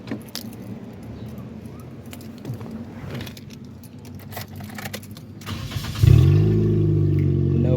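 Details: 2005 Nissan Sentra with intermittent no-start, after starter replacement and reassembly: quiet handling noise, then starter catches at once and engine settles into smooth, steady idle; healthy start.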